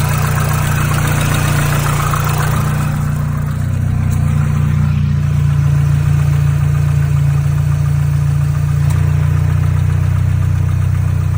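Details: Mazdaspeed 3 petrol engine idling smoothly with a faint steady tick behind the normal valve and injector chatter; source unknown — engine tick at idle.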